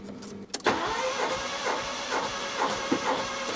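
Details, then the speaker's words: Neglected Rover 114 GTi 16V compression test, cranked at full throttle for a few revolutions: starter spins with even, steady compression beats and no weak strokes; first cylinder reads 185, good compression. "So, like this, it's giving it full throttle and I can crank it for a couple of revolutions and then read the compression. First one reach reads 185."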